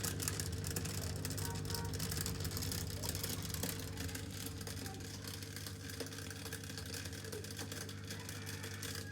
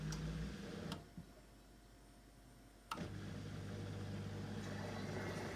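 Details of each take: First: Miele dishwasher pump at start of wash cycle with a harsh, sandy grinding over its hum, as the pump engages; broken plastic in the sump catching the impeller. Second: Miele dishwasher after the fix for a grinding noise at cycle start, tested on a quick short wash with water in the sump: two soft clicks, then a steady low pump hum and water draining quietly, no grinding.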